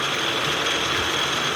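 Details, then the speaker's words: Portable line-boring machine (Matrix Ferramentas MTX-MQMP) with the bar turning and feed set to maximum, advancing along the bore; steady motor whine with a thin high tone and light mechanical hum, even and unchanging, normal operation. "você vai observar que o eixo começa a girar e a máquina começa a andar no sentido de avançar de oração a peça"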